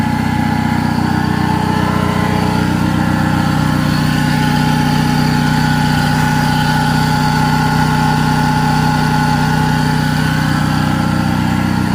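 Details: 2005+ Chevy Optra that sat over a year, engine idling on a booster pack with a dead battery; a steady howl rides over the idle from a worn alternator bearing, and an exhaust leak is also present.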